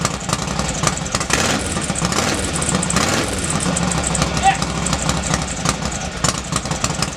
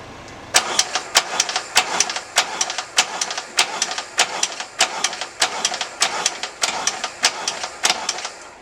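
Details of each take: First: Norley cafe racer with a freshly rebuilt twin engine, first start after the hydraulic clutch repair: fires and keeps running with an uneven, lumpy beat, a bit smoky, possibly from oil put down the bores at assembly. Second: Norley cafe racer with an Ironhead engine, brand-new starter, jumped from a car, choke on: slow, regular cranking that never fires. The owner is unsure whether this is normal for an Ironhead.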